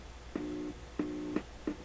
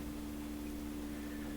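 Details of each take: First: PYE Columbia Stereo 360 amplifier after replacing the defective 300-ohm wire-wound adjustable resistor: the channel that always worked passes a clean, steady low tone in even bursts, with no hum, crackle or dropout; normal signal output. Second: PYE Columbia Stereo 360 amplifier after replacing a defective 300 ohm wire-wound adjustable resistor: at power-on a steady low hum under a loud roaring hiss from one channel, like an airplane; channel fault, not normal.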